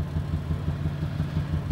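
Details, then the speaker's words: Poorly running Toyota Highlander at idle: rough lumpy idle with deep rhythmic thumping about six beats a second, engine shaking and check engine light flashing from a misfire; no vacuum leaks heard. "hear the thumping it's definitely misfiring you see the check engine light is flashing when it's flashing it means there's something relatively serious wrong"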